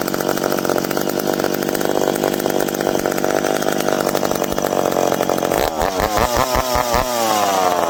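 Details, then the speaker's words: McCulloch PM700 chainsaw, freshly ported, first run after adjusting: screams at steady high rev, then blips and settles back cleanly with no stumbling; running strong and healthy, break-in next. "well there we go now we got to do is run it a little bit and break it in which that's always the fun part"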